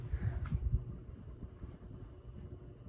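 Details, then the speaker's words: 52-inch CEC Newport ceiling fan running, still moving a decent amount of air: faint steady electrical hum and buzz over low uneven bearing rumble, both getting louder the longer it runs; motor hum and bearing noise. "Yeah, this thing has got quite a hum to it as well. It gets louder the longer you run it. Both the bearing noise and the buzz. You can definitely hear the humming coming from it."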